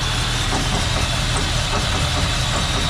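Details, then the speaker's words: 1978 Ford F100 V8 at idle after exhaust leak fixed: rough, loping idle with uneven beats and stumbles, missing hard; cheap replacement distributor pickup coil suspected; misfire at idle. "uh-oh missing pretty hard yikes I'm going to kill this thing"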